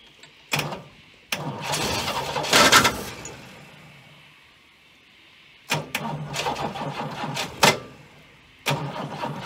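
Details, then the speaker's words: Abandoned Chrysler Valiant VG, not run since 1997; first start attempt after fitting distributor (slant-six dizzy), battery, coil and leads, auxiliary fuel tank. Several cranking bursts with brief catches dying out, quiet gaps between tries; fires but won't keep running, timing/fuel suspected. "well she wants to I need you nice if the desi was accessible while I was cranking it because I could sort of jiggle it as I was going but um we'll get there"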